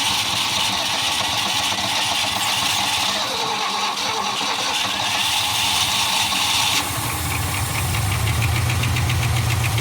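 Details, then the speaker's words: 1975 Ford F500 rollback truck V8 after 17 years in a field: lumpy idle sagging as if to die then picking up, not missing, on the verge of running; owner suspects carburetor accelerator pump. "just right there on the on the verge of running and not running"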